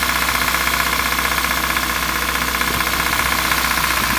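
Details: Kia Rio 1.6 Gamma petrol engine at idle: fast, fairly even metallic ticking, about four per second, over the idle; internal engine knock, cause not identified.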